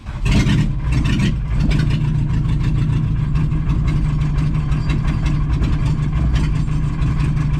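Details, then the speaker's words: 1986 VW Jetta Mk2 1.6 turbo diesel barn find, previously sent raw oil out the exhaust: uneven, lumpy idle with a few sharp blips; rough running, injection pump timing suspected badly off, possibly a fueling problem. "okay well we [ __ ] up the pump timing something awful when we were messing around so i think we time the pump"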